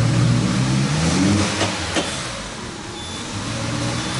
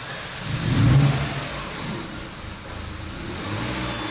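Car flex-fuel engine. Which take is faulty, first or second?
first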